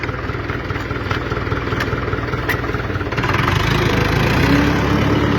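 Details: UTB tractor with a rebuilt engine, back in high range in fourth gear: steady diesel chug with an even beat and faint gear hum rising slightly under load; range reducer sounds healthy.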